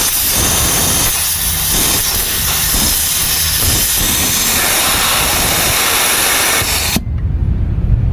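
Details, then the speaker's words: Volvo FMX 440 truck with weak exhaust brake: loud constant hiss for about seven seconds, cutting off sharply when air is shut off; compressed air leaking on the left side of the engine from a crumbled hose coupling. "Ini bocornya di bagian sebelah kiri engine ya, terdengar dari situ."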